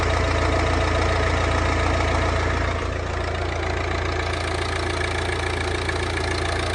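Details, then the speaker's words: 2015 Volvo V40 D2 1.6 diesel (D4162T) after timing belt and water pump replacement: smooth, even idle with a steady low rumble and no rattles or ticking, running healthily. "But yeah, we'll just go and give it a crank up now, make sure it's running okay."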